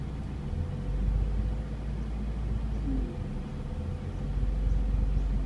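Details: Mazda MX-5 NA6 after fitting an ASI 52mm radiator, idle surges and sags only while A/C is on; fixed by removing an air bubble in the cooling system: rough idle with A/C on.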